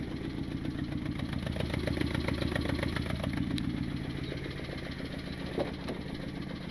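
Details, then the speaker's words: Turbo Honda Civic with R18 engine and a knock, testing by unplugging ignition coils one at a time: uneven lumpy idle stumbling about three to four times a second; misfire with one coil out, check engine light on. "Let's try this. Uh-oh. It's definitely misfiring now."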